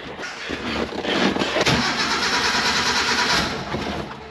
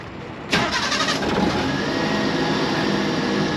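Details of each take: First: Mini truck that has been sitting, runs rich and rough, spark plugs suspected, cranked in the shop: the starter grinds in uneven bursts and the engine never catches. The battery may not last. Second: Mini truck after a spark plug change: a quick crank catches at once, flares, then settles to a steady, even idle with no smoke. Starts and runs cleanly.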